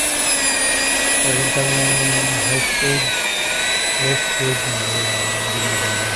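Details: Hilti TE 800 AVR jackhammer that runs but won't drive the bit into concrete: the motor spins to a steady high whine with no hammer blows. When opened, the connecting rod that drives the hammer was found crushed.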